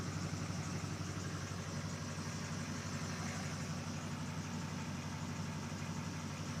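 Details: 2002 LB7 Duramax diesel, after winter start unplugged ran a minute then died and wouldn't restart; fuel filter changed and fuel system re-primed: steady, even diesel clatter at idle, no stumbles or hunting.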